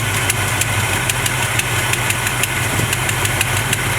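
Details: 1970 Chevrolet C20 V8 at idle after carburetor mixture screw adjustment: smooth steady idle with light even tick; previous owner's tune was off.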